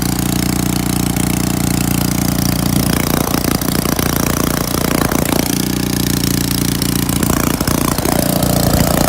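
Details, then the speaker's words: Pressure washer engine on full choke, pump hooked to water: the single cylinder catches and holds a steady, even beat at fast idle with no misses or stumbling. It runs normally. "if I have to spend $150 to fix it but it runs good that's good to know"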